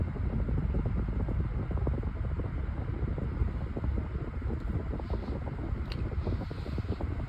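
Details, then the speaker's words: White Pelonis table fan, long unused, on high speed: steady fan rush over a low throbbing rumble and light rattling; the warped blade is out of balance, shaking the fan. "And what it still does, it still shakes quite a lot. Yeah, the balance is really bad."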